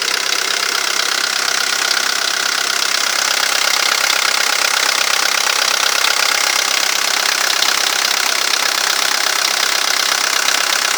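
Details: VW Golf III 1.9 TD (AAZ) diesel idling with a steady, fairly quick ticking knock, roughly three or four a second, over the diesel clatter; source not pinned down.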